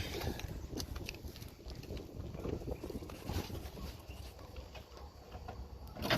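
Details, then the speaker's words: 2007-2014 Chevy 5.3L V8 just after serpentine and accessory belt replacement: the engine catches and settles into a steady, rough-textured idle. There is no belt squeal or whine, and the earlier light whine/hiss seems reduced; normal idle. "Is that less whiny than I had? Okay, look at me. It was a little whiny is what made me check my belt. I think it's less whiny, it's just the sound of the engine."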